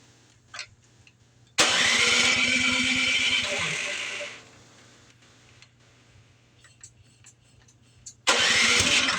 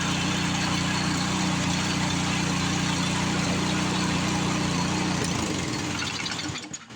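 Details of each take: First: PowerSmart snow blower small engine, just after carburetor cleaning with residual cleaner inside: fires and screams at high unchanging revs in loud bursts, not idling; over-revving, throttle suspected stuck, unconfirmed. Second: Power Smart 26-inch snowblower single-cylinder engine after cleaning out bad fuel. Steady, even run with no misses or knocks for about five seconds, then it shuts down and spins to a stop.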